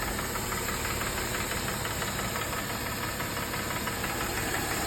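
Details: Mercedes E350, M272 3.5 V6, AWD, warming up: idle drops from about 900 to 600–700 rpm as steady hollow clatter, about three knocks a second, appears, loudest on the left bank; piston slap from cylinder scoring.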